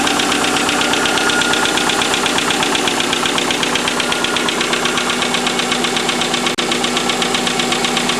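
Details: Subaru EJ25 idling: steady rapid knocking around four a second, hard and metallic; owner unsure whether piston slap or rod bearing.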